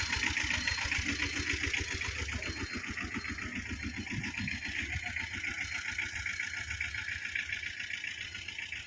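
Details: 2012 Tata Ace diesel, two owners, engine in very good condition, full wiring work done: steady idle clatter with even low pulses, no stray knocks or misses; normal healthy idle.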